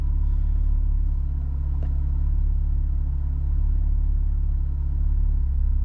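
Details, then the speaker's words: 3.6 Camaro at idle after codes were cleared, with an injector code (believed cylinder 4) and a blowing ECM fuse. A low, uneven stumbling rumble of about three lopsided beats a second shows a hard cylinder 4 misfire; the cause is unconfirmed. "There's okay, cylinder 4 is misfiring now. You can feel it. And it's a big misfire too. When it hits hard."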